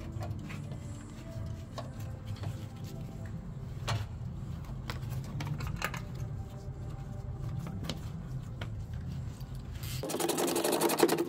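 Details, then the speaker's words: Mercedes-Benz B-Class W245 petrol engine idling after pulley bearing and serpentine belt replacement; steady low hum with a few handling clicks, belt squeak gone, problem considered fixed — normal idle. "I manage to put on the Belt now you can see it doing the job the squeaking noise is gone and uh I think the problem is fixed"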